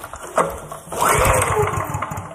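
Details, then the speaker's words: Older Honda generator that won't start: the engine turns over on the pull but never fires. The spark tester showed no spark, though the owner wonders whether it was a bad ground; the low-oil cutout is suspected of killing the spark. "oh no way well maybe that's why it won't start cuz we got no no sparkage"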